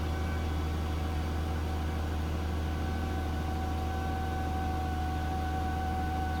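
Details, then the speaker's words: Volvo V70 petrol six-cylinder idling after a coolant leak and pipe refit (coolant warning, boiling smell): runs rough with a deep hum and uneven lumpy beat, vibrating through the steering wheel, steam from exhaust; owner suspects a cylinder not working properly. "the cylinders is not working properly this is a six cylinder engine so it's normally quite smooth you can hear something humming away there"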